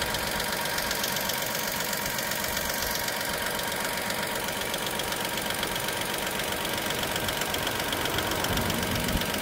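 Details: Dacia Sandero SCe75 at idle: light, sharp ticking about twice a second over a quiet, steady idle; ticking at idle, cause still to be traced.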